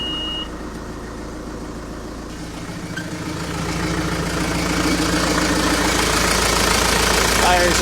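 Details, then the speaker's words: Diesel backhoe with DE10 injection pump converted to mechanical Stanadyne DB4 pump, about 65–70°F, shut-off solenoid wired temporarily: fires up on the first revolution and settles into steady even clatter; very responsive, healthy start. "right up, first revolution. Extremely responsive."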